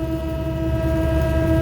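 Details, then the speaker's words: Dirty exhaust fan that had stopped, likely single-phased or drew high current and tripped the motor starter: steady even hum with low rumble underneath during a run test; running normally, suspect contactor shows high resistance across its contacts. "I'm letting the fan run for a little bit to make sure there's nothing else wrong"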